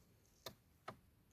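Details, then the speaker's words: 2008 Skoda Fabia Mk2 1.4 TDI PD, engine off, scan-tool output test: two sharp glow plug relay clicks about 0.4 s apart, normal operation. "Glow plugs relay, I can hear that clicking."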